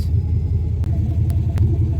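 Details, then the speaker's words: Car won't start, battery measuring 11.3 volts: low, labouring crank that never catches; weak battery causing slow crank no start. "got my multimeter got my leads touching the battery and the reason why it won't start is cuz we got 11.3 volts it needs 12 volts for the car to actually turn the starter over"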